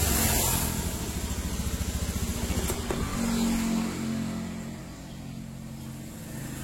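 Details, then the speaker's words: Honda Beat ESP injection scooter, 2016–2017, before repair: the engine pulses unevenly about 3–4 beats per second at low revs, stuttering off idle with throttle and RPM unbalanced. Causes given include dirty air settings, rusty fuse holders and the ECU. "Jadi ketika kita membuka gas, posisi di putaran bawah, antara putaran gas sama RPM mesin itu tidak balen ya, intinya tidak seimbang. Nah seperti ini ya, jadi berbet di putaran bawah."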